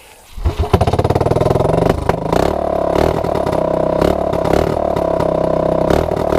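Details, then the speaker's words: Honda ATC200S ATV with new clone carburetor, cleaned after contamination, cold start on choke: catches first pull, fast even single-cylinder beat, cold but healthy. "a little bit i don't want to hear it's obviously cold but i kind of need a seed eh let's take it out ride"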